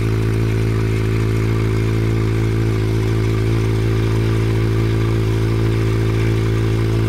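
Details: Honda CB700 Nighthawk S project bike starting on its own newly charged battery, running about a minute before fuel ran out: smooth, constant tickover with regular even pulse, no stumbling or rattles; normal idle.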